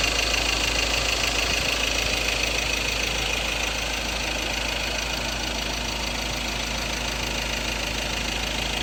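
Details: Ford Ranger 2.2 Duratorq diesel, 2016 XLT 4x2 manual, at steady idle with a hard, even clatter about 200 a minute. A fuel knock, possibly an injector problem, unresolved by the dealer.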